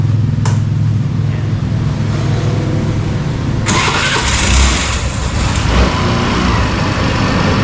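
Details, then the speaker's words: 2024 Suzuki Burgman Street 125 repo scooter starting: starter whirr with a loose rattling clatter as it catches, which is said to be normal, then a steady low idle. "Ito yung pag ini-start mo, ay yung maingay, yung pagkaka-start, yung parang nagkakalansingan. Pero normal lang yun."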